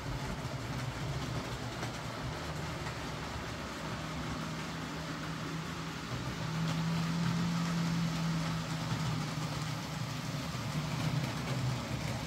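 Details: Hornby J15 model loco, slow and noisy since new about two years ago; after fitting a new motor and regreasing the worm gear, soft even motor hum, light steady rail patter, no buzzing or catching: quieter, smoother normal running.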